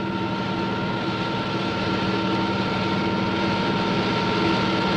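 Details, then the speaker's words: Propeller model in water at constant speed and pressure with rpm increased: steady rushing hiss with fixed tones over drive hum as bubbles form and collapse in low-pressure regions; propeller cavitation. "the noise is generated by the collapse of these bubbles as they move into the higher pressure in the diffuser"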